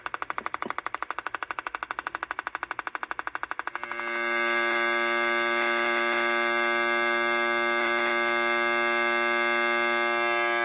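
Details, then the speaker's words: Mid-60s Panasonic R1326 AM 8-transistor 9-volt radio: steady high buzzy squeal after brief rapid ticking, an oscillation traced with a signal generator to an open volume control. "So as I said, I just continued to work with this and use the signal generator to track down the audio signal, and began to isolate the problem in the volume control area."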